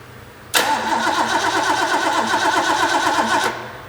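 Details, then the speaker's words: Rebuilt Ford 351 Cleveland V8 from a 1972 De Tomaso Pantera, after correcting timing that was 180 degrees out: quick crank, clean catch and a firm, even rumble; normal start and run, warmed up, with cheap header gaskets leaking. "all right well we got the engine running got it warmed up real good"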